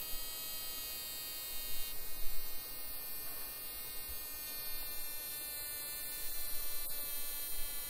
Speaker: the noise is pretty loud actually it sounds like something's broken not to worry